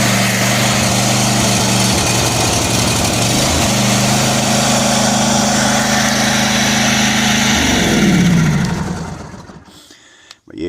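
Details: John Deere D140 lawn mower, a crank-but-no-start case, after replacing the fuel shutoff solenoid: the engine catches, runs smooth and steady for several seconds, then winds down cleanly. Repair fixed it.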